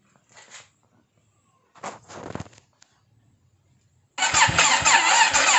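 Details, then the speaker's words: Yamaha Virago XV535 fitted with a Harley Davidson carburetor, just cleaned, serviced and refitted: a couple of short cranking bursts, then the engine catches at about four seconds and settles into a loud, steady run; normal clean start. "Okey, saya dah cuba start lah. Alhamdulillah hidup."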